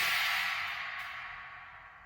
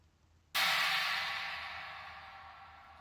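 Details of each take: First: Sabian AA 19-inch Holy China cymbal with multiple bow fractures and cracks, before repair; bright trashy crash decaying with a faint buzzy rattle from the cracks. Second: Sabian AA 19-inch Holy China cymbal after crack repair: a single bright, trashy hit fades evenly with no buzzing; the rattle is basically gone, except slightly from one small crack whose ends were drilled.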